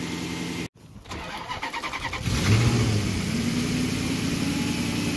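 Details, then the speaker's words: 2007 Maserati Quattroporte 4.2L V8 (M139) after cam cap variator-rattle fix, restarted after sitting a few hours: short even cranking, fires promptly into a smooth steady idle with no rattle or tick; clean start, problem fixed. "this is after a few hours of sitting so looks like the problem has been fixed easy start no noise"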